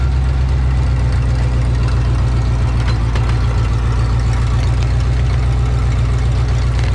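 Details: 1984 Ford F-150, old 302 V8 after new oil pump install, on ramps checking rear main seal leak: loud steady low drone, even beat, no knocking or rattles, normal idle.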